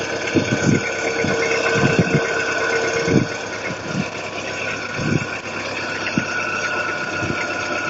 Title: Стук гидрокомпенсаторов в ГБЦ